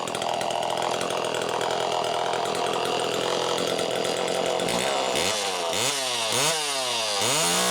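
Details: Two-stroke chainsaw (Super EZ Automatic), near-new condition, on its second test-run attempt after cleaning, holds a steady high buzz, then revs cleanly up and down through repeated blips without stumbling; saw running healthy.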